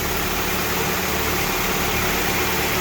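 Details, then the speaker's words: 1997 Toyota Camry with a replacement used engine, low mileage or recently rebuilt, warming up: steady, even idle with a smooth hiss, starting to idle down, no knocks, ticks or misses; normal warm idle. "You can hear it starting to idle down."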